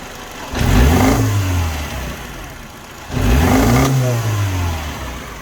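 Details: Mini Cooper R56, N12 engine: two sharp throttle blips, each rising then sagging unevenly with rough stumbling, sounding like backfire through the inlet. Fuel pressure, coils and new plugs tested good; intermittent loose crank sensor connector causing misfire.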